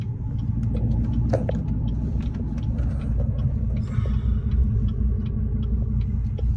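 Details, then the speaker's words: LMM Duramax diesel pickup with plugged DPF (DPF status failed, soot level 147) in limp mode: deep uneven rumble, no rev climb even with throttle floored, stumbling and lazy before shutting off. "Dude, this engine sounds horrible. Soot level's at 147."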